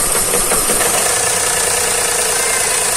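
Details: 2013 Daihatsu Xenia 1.0 with DTC P0303 runs rough and lacks power on hills: uneven idle with irregular stumbles and rattly chuff as cylinder three drops out; swapping plugs and coils points to a failed number-three ignition coil.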